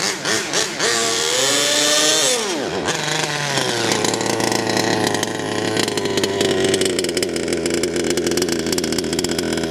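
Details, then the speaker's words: HPI Savage Octane RC truck, petrol two-stroke, warmed up: buzzy note climbs then flattens and stutters above half throttle as if running out of fuel; high-end mixture too lean, being richened while low end sounds very rich. "Interesting, because what it's doing is it's sounding like it's running out of fuel when you give it more than half a throttle."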